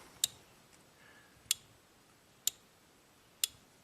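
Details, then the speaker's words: 1997 Ford F150 with intermittent no 4WD (code P1838), suspected bad relay: four crisp single clicks about a second apart; each grounding of control side clicks and voltage drops to zero, drawing 0.11 A. "when we ground it we hear the click and our voltage goes to zero"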